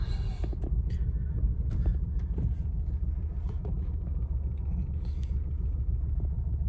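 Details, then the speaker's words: 2009 Acura TSX petrol engine idling in gear: uneven, lumpy low rumble from a misfire, louder when in gear; check emission system warning on. "so when we're in gear we're definitely hearing it a lot more"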